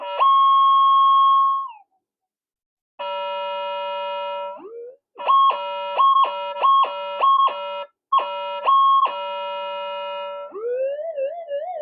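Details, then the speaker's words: Older pulse induction metal detector modified for higher sensitivity: while frequency is raised, steady tones jump erratically and end in a wobbling squeal as the PLL drops out of lock. Fix is full frequency, switch off, switch back on. "it's the pl totally out of Lock and it's very easy to fix or problem turn up turn it full full frequency and turn it off turn it back on and it'll be perfect again"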